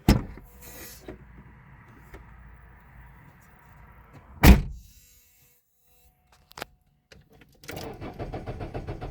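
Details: Citroen Xsara II 2003 1.6 with an unidentified low electric whirring hum and later a buzzy, rattly drone from behind the dashboard.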